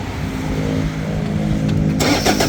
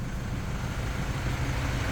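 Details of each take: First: Toyota Vigo 3.0 diesel, after a rail pressure sensor and SCV replacement: cranks then an uneven, lumpy clatter with irregular hard knocks and shaking; scanner shows injector corrections far out (cylinder 3), worn injectors. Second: Toyota Vigo 3.0 diesel after replacing the rail pressure sensor and SCV: even, low idle rumble with no knocking or stumbling; injector corrections back to normal, no codes or check engine light, idle still settling.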